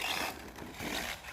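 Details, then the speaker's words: Traxxas Slash 4x4 RC truck fitted with a Summit clutch whose plate vanes were rubbing: harsh scraping grind with rattly bursts under drive, fading as drive is lost; owner suspects a munched spur gear, stripped spur gear. "I lost drive. I'm wondering if we munched a spur gear or seriously broke something."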